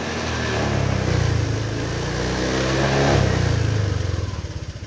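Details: Honda Vario Techno 125 scooter after repairing a total electrical failure (no lights, no starter): revs up smoothly, holds, then drops back to an even, steady idle with no misfires or rattles; runs healthy.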